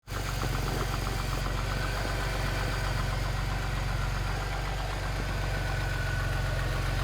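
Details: Jaguar S-Type 3.0 at idle: light fast metallic rattle over steady engine note; cause was a loose timing chain.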